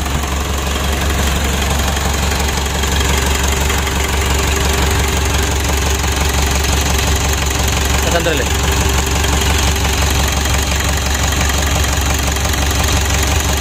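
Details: Freshly rebuilt 2012 Mitsubishi Pajero Sport Dakar diesel engine, first start after reassembly: deep, steady idle with an even, regular beat and no odd knocks or rattles; engine sounds healthy.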